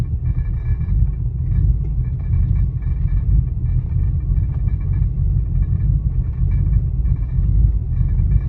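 Low, uneven idle rumble with an irregular lope and no steady rhythm, so the engine is idling rough and the cause is unclear.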